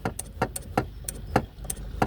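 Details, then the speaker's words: 1997 Ford Panther-platform car: dull thumps about twice a second as a loose throttle cable lets the gas pedal hit the floorboard; fix is tightening the cable or a zip-tie trick. "That's the gas pedal hitting the floorboard."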